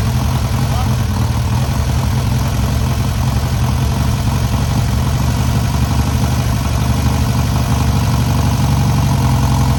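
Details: First start and break-in of newly rebuilt air-cooled VW 1600cc flat-four: loud steady idle, even low thrum, no knocks or misses; normal idle.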